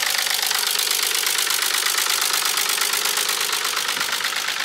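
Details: Nissan 300ZX Z32, naturally aspirated, manual, with owner-reported misfiring and "tractor sounds": steady rattling knock about three a second over an engine drone. A Consult laptop is connected and some sensor wires are disconnected; cause unknown.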